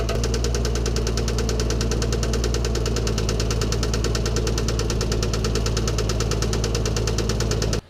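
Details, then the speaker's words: 1987 MK3 Toyota Supra Turbo: a sharp, rapid knock rides steadily over a rough idle, then cuts off. Suspected rod knock, with cylinder 1 judged damaged, so the engine needs a swap or rebuild. "That made a mess, but it sounds like cylinder 1 is dust. So, yeah, gonna have to either swap or rebuild."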